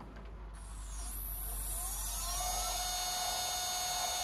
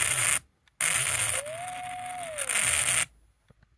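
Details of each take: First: Sky-Watcher EQ3 mount after worm gear tuning on both right ascension and declination axes, slewing to M31: motors rise through a whine into a steady, even high hum with no grinding or clicking; normal, healthy stepper motor slew. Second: Skywatcher EQ3 mount stepper motor stalling with loud rasping bursts and a rising, holding, falling whistle that sounds like grinding but isn't. The D plug has poor soldering and unexplained continuity between two pins; the plan is to resolder and replace the plug.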